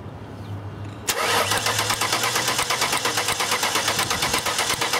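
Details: 2000 Ford Taurus, returnless fuel system, no-start: starter cranks steadily at about three turns a second but engine never catches; spark confirmed good, fuel pump and fuel pump driver module being tested.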